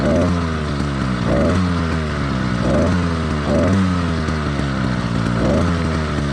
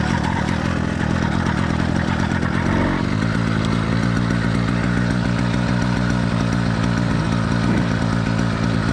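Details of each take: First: Two-stroke motorized bike engine in its warm-up phase after a cold choke start: uneven, blubbery note that misses and doubles up, four-stroking from rich running; common and expected for the first 5–10 minutes. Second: Two-stroke motorized bicycle engine, cold, first start of the day in cool weather on choke: catches quickly with a fast crackle, then settles to a steady, even popping idle once the choke is off; normal cold start.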